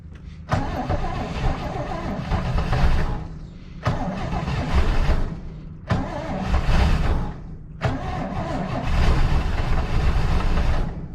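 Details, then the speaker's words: 1967 Chevy Nova barn find, unused since 1983, gas poured into carburetor to prime mechanical fuel pump: four bursts catching and dying within two or three seconds; not yet holding fuel itself. "huh that's weird never had one act like it's just shaking like well there we go it's running now boy it shakes"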